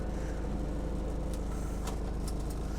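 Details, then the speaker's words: 1992 Toyota Corolla AWD diesel wagon, started and idling before a drive. Steady low diesel clatter at an even idle, no misses or odd knocks: normal healthy diesel idle. "So with that said, why don't we fire this little guy up so you can hear the engine."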